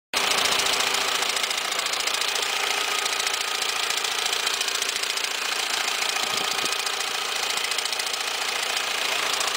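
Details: Peugeot 206 1.0 16v, 2002, intermittent noise from right side of engine at start-up: fast, slightly uneven ticking and slapping at idle, about three to four a second; alternator belt had no tension, nearly off the tensioner; replacing the whole set fixed it.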